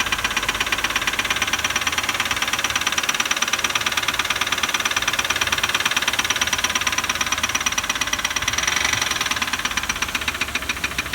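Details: Ford 4.2L V6 OHV engine idling with a fast, sharp, steady ticking or clicking over a quiet engine note; cause unknown, suspects include sticking lifters, bent pushrod, loose spark plug or loose timing chain.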